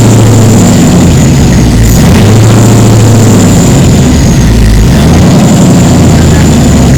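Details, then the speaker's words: 1936 Chevy sedan with freshly rebuilt 6.0L LQ4 LS swap, first start, no coolant: lumpy big-cam idle with faint quick valvetrain tick over exhaust burble, possibly a back cylinder; cause not yet known. "so we do have a little bit of tick in there have to look at why that is"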